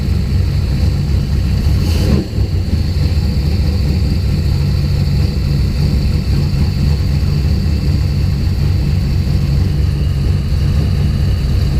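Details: Deep, loose, lumpy idle with one early stumble. Coil spark was restored by moving the wiring loom. Fuel pressure was 50 after prime and over 60 during prime. The engine sneezes fuel and runs really rich.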